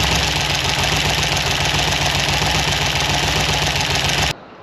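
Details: Free 327 ci Chevy V8, barely running: stumbling with harsh, uneven popping and clatter about three to four times a second; lifters starved of oil and rockers backed off; the cam and lifters were later swapped.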